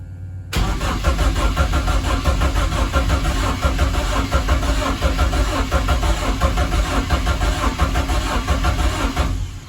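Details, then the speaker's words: BMW E30 rally car with swapped-in M44 engine, first start attempt: even steady starter cranking with no firing or catching; cranks but won't start, and an unplugged ECU connector was found later. "yeah not sounding very like it's uh trying to go even"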